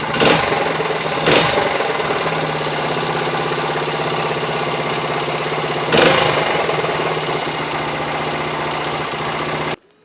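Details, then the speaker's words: 1973 Honda TL 125 single-cylinder after carburetor rebuild for float-bowl overflow fuel leak; started with choke half on, steady even idle with brief blips, no misses or knocks; sounds good for 50 years old, no leak overnight. "foreign foreign yeah that looks good that sounds good right there for 50 years old"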